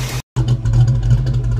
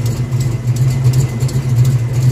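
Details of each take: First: 1982 Ford Mustang GT after repairing driver-side exhaust header leak (90s short-tube headers, H-pipe), heard from behind the car at idle and light throttle: steady low rumble, no ticking; exhaust sounds sealed and healthy. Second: 1982 Ford Mustang GT V8 with old short-tube headers and H-pipe, recorded under the car: deep steady idle rumble with sharp ticks; exhaust leak at driver-side header, number eight primary apparently cracking around, burned header gasket.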